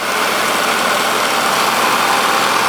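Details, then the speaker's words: 1946 Victor 40B projector after oiling and freeing the mechanism, case open, at sound speed, amplifier untouched: steady, even mechanical whir with fine gear chatter and no knocks or catches. A bit rickety from many gears, quieter with the case closed; normal running. "It sounds rickety like I do when I when I get up out of a chair sometimes. I don't know. It's um a lot of gears and moving parts, so it's not going to be silent, that's for sure."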